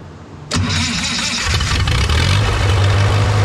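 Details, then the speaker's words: Old SA-200 welder engine after stuck valves repaired, warm after a few minutes running, moisture burning off, no leaks; catches after short crank and settles into steady even idle, no knocks or misses; healthy. "well it's been running for a few minutes now everything's pretty warm got all the uh extra moisture going out of it and I'm not seeing any leaks so I'm going to call that a uh success for now"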